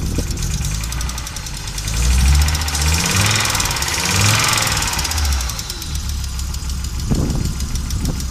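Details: Audi Coupe after swapping NG engine for AAR engine, hard starting, stalls when driving; idle surges and stumbles with irregular knocks and dropped beats about three per second; rough idle, misfire, cause unknown.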